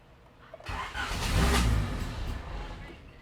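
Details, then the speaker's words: Honda EF Civic D15 engine cranks and catches about two seconds on a squirt of fuel, then dies; no gas reaching the engine though pump ran at first key-on, fuel pump now suspected. "Okay, we don't have gas. So that's got to be what the problem is."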